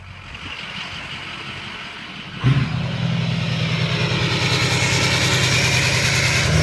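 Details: Ford 6.0 diesel turbo vane test via IDS, listening at exhaust: quiet idle then exhaust note lifts, swells and hisses as vanes sweep closed to open; turbo vanes moving freely.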